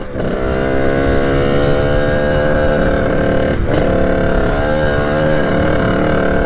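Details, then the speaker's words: 1989 Kawasaki KX80 big-bore 110 two-stroke held at full throttle (second gear) drones at a flat pitch, never climbing into a sharp rev surge or coming on the pipe; owner suspects jetting or something slightly off, unconfirmed. "I went through everything I don't know what it could be either jetting or something's a little bit off"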